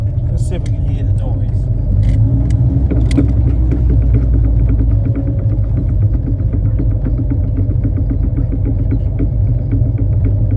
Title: Knocking noise on the triumph Spitfire 1500 HELP